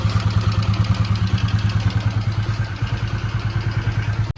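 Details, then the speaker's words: Bajaj Pulsar NS200 BS3, customer complaint of heavy engine noise, told elsewhere it needs an engine rebuild; single-cylinder idle with a steady pulse near three beats a second plus added clatter; engine louder than normal, cause undetermined. "അപ്പൊ friends നമ്മുടെ N എസ്സിന്റെ ഒരു work ഉണ്ടായിരുന്നു engine നല്ല noise വരുന്നുണ്ട്"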